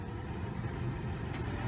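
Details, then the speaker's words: 2005 Chevy Aveo heater/AC blower after replacing the blower motor assembly (resistor ruled out), running at high speed: even low rush of air with steady motor hum, no rattle or squeal; normal operation after repair. "and high speed. I'm sure you guys can hear that. That's off. 1. Works perfectly."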